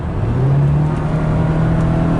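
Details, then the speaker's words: 2006 Subaru Baja with 4EAT automatic after replacing valve body solenoids to fix a downshift clunk, floored while cruising at 50: engine drone climbs steadily, smooth kickdown with no clunk. "Oh, look at that downshift. No clunk. It seems to know what gear it needs."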